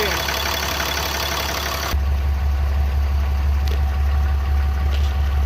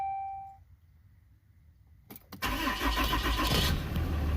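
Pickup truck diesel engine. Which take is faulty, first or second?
second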